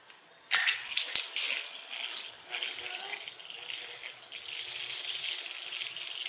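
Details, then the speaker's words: Washing machine inlet valve tested: a sharp click as it is powered, then a steady water hiss, and it cuts off cleanly when switched off, so it is operating normally. "Ali funcionando, né? Tá liberando água, vamos desligar para ver se cessa. Cortou. Normal, né?"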